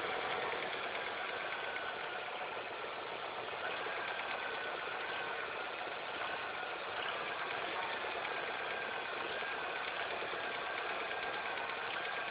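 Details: Engine idling after all belts, the timing belt and the tensioner were replaced: fast, uneven light ticking and hiss like a sewing machine over a steady idle, an annoying abnormal noise of unidentified cause.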